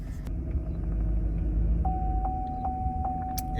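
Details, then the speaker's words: 2011 Chevy Silverado 5.3L V8 with P0307 cylinder 7 misfire: after swapping the coil pack and plugs it still idles low, rough and stumbling, with a shaky RPM gauge and dash chimes. The check engine light returns with misfire detected. "Okay, so we just swapped over the coil pack and plugs. I can still feel idling like crap."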